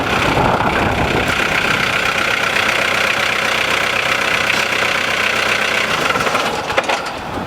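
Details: VW T4 Transporter campervan, naturally aspirated diesel, badly neglected example: steady fast clatter over a rough idle with no misses or knocks standing out; healthy diesel idle.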